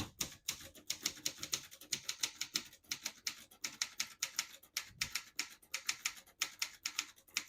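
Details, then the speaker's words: Serviced 1972 Consul 231.3 portable manual typewriter: crisp even keystrokes in quick bursts, none skipping or sticking, light smooth action; healthy typing. "As you can see, all the keys type nice and none of them skip or stick."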